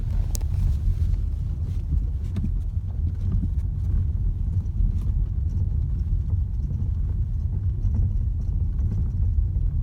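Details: New VW Tiguan, while driving: deep road rumble with scattered dull thumps over bumps, a suspension knock of unknown cause; dealer found no abnormal noises.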